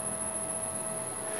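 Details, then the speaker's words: Lathe 1 HP Teco-Westinghouse L510 VFD driving 1800 rpm Leeson motor, carrier frequency raised from 5 to 16 kHz: quiet steady motor hum with only a faint very high whistle; normal smooth running. "now when I switch that on we shouldn't hear that whistling sound I can hear it but it's very high at 16 kilohertz now"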